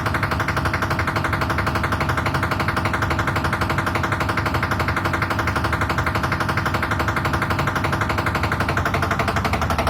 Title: IFB Washing machine making noise 10kg aqua